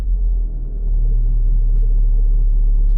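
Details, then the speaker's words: Mitsubishi Galant idling in drive/reverse with AC off: a deep, uneven droning rumble with the whole car and steering wheel vibrating. It goes away in neutral. Worn engine/transmission mount. "can I don't know if you hear it but you can hear a lot of vibration you can even see the the steer and you can hear it look guys if I put her in neutral the vibration or that sound is gonna go away"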